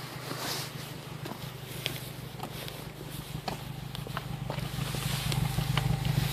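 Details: Honda Civic Si at warm idle: low steady drone with irregular sharp exhaust pops about three a second; engine runs fine, cause unknown.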